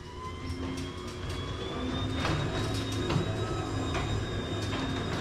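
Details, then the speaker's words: Garage door opening after upgrade to a new Chamberlain opener, new roller wheels and lubrication: a smooth, steady motor drone with a faint thin whine and a few light roller ticks, much quieter than before. Normal garage door opening. "You hear how quiet and wonderful that sounds? You have no idea what it used to sound like."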